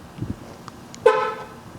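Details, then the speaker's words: 2001 Dodge Ram 1500 5.2 after fixing the ground terminal and fitting two CR2016 batteries in the key fob: pressing the fob gives a single short bright horn chirp; fob and horn work normally. "right key fob works it's worth continuing to work on this truck"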